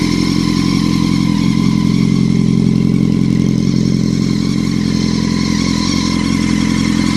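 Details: 2006 Honda CBR1000RR: steady mechanical whine over the engine note, louder with revs; appeared after the bike felt held back while riding, which is also hard to shift and to move in gear even with clutch held but rolls freely in neutral; cause unknown.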